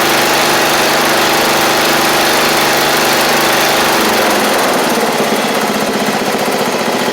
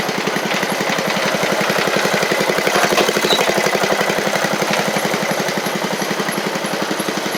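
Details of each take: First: MTD Murray riding mower, about 7 years old, small single-cylinder engine running after fuel-flow check and solenoid work: loud, even steady beat, no misses or surging, slight settle partway; everything seems to work, normal running. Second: 7-year-old MTD Murray riding mower single-cylinder engine, oil a little low: fast beat with uneven, wavering pulses after running great at first; running rough, owner suspects water in it.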